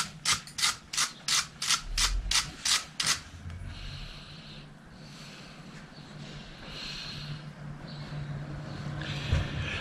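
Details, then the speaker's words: Bicycle crank creaking: sharp regular clicks about three a second, one per pedal stroke; crank defective, square taper deformed, no longer square, bearing also defective. "muss ich leider feststellen dass diese tretkurbel kaputt ist diese defekt und solche sagen zu den guten mann damit muss er da hin zu den leuten die die macht haben denn sie ist nicht mehr viereckig sondern die ist aufgeworfen"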